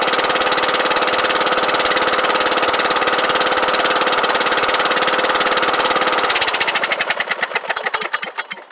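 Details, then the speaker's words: Kohler Courage 18 hp on Troy-Bilt Bronco riding mower run briefly with muffler removed to check for exhaust-port smoke; loud raw crackling bark, pops at shutoff; smoke likely from buildup in muffler, valve cover leaking. "I was fired up without the muffler on it so I want to see if it's smoking out the uh exhaust"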